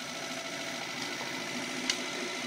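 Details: Electric motor module running forward in first gear, motor drawing about 38–40 A from a 60 V pack supplying about 9 A: quiet, even hiss with a faint steady high whine, no knocks or grinding; the motor runs smoothly.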